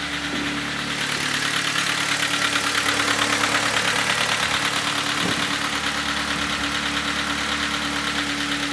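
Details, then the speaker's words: Kia Cerato, G4FC engine with heavy oil consumption, heard from outside at idle before teardown: hard, regular knock about three times a second over the engine. Knocking from running short of oil, crankshaft condition to be checked. "обычная проблема стучит без масла что сейчас будем разбирать смотреть"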